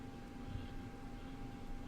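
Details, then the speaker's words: PC after a crashed game ate up the CPU: steady whirring, buzzy fan hum as the processor runs at full load. "I don't know if you can hear my fan like buzzing, like telling me like, dude, you gotta do something a"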